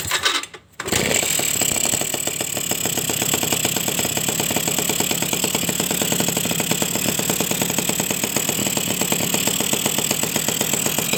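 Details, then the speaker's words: Suzuki RC two-stroke motorcycle after a piston replacement for overheating, weak power and zero compression: crisp popping settles into a steady, even idle as the idle is set; extra oil use expected with the new piston; healthy. "kita setel langsangnya teman-teman. Oke ya, biarlah olinya itu biar boros sedikit dulu karena piston baru. Oke teman-teman ya, langsamnya juga dapat."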